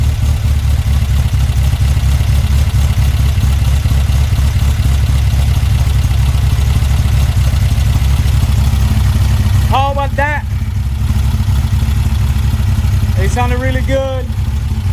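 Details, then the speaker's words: Car fitted with a Weber 44 IDF carburettor, original parts refitted: steady, even low idle rumble, no misses or stumbles, a few background squeaks; healthy idle. "I love how it's sounding look at that nice so that's where we're gonna leave it"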